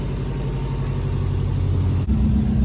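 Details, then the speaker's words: Engine idling after reinstalling a Cobb intake and stage 1+ tune with a reflash, left to idle for a few minutes so the computer adapts. Smooth, even low rumble with no ticking, hissing or hunting, and no air leaks felt: normal idle. "let it idle now for a few minutes so the computer could be the recognize the modifications to it but it sounds good feels good i should have any issues"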